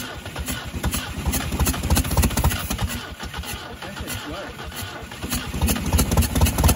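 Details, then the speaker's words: 1971 MGB after about 20 years sitting, first start with points gap reset; rough, uneven running with pops and spits back through the intake, no knocking; some valves still sticking, fire blowing back, carburetors need work: sticking valves and carburetor backfire. "obviously do need to go through the carburetors we do have some valve still sticking a little bit obviously with the fire blowing back at my face"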